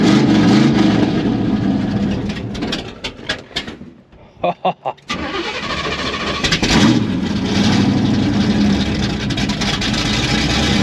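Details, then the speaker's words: 1981 Oldsmobile Cutlass V8 started after nearly a decade sitting, fed by a temporary fuel line; runs strong, dips and sputters briefly, then holds a smooth, steady idle; ran well but has issues, possible water pump or thermostat leak. "But you wanted to will it run? It ran. It sounded good. But it's got some issues."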